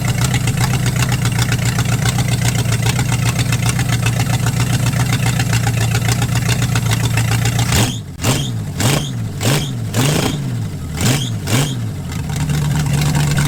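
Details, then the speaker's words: 1946 Dodge Deluxe with swapped V8 on open headers, cold day, after a suspected neutral safety switch fault: loud, even idle then about six clean throttle blips rising and falling smoothly; now running, that was apparently the issue. "oh holy crap all right well she's running that must have been the issue"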